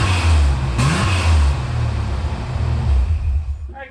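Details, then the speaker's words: 1988 Ford Bronco II V6 with a muffler temporarily slip-fitted, unclamped: deep, even rumble that revs cleanly and settles, cold; the earlier exhaust noise is gone. "good news. That did take care of it."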